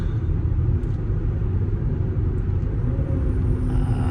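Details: After swapping roaring Cooper Endurance Plus tires for four used Michelin Premier tires, while driving: steady low road rumble with light wind, no droning or howl rising with speed; tire roar gone, big improvement.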